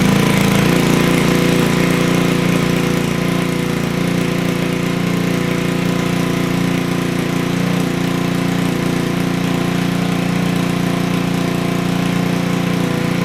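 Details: Honda Ruckus scooter with GY6 (Chinese) engine, hard starting; after starter swap, small single-cylinder holds a fast, steady idle that never settles; owner feels idle set too high.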